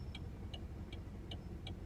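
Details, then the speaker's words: Saturn Ion stopped at idle, warm after driving: light, sharp ticks about two and a half per second over a steady low idle rumble; owner unsure if it is knocking, car also has rubbing and rattling noises while driving. "you kind of hear the engine running a bit i can kind of hear my engine knocking a bit i don't know if it's knocking or what"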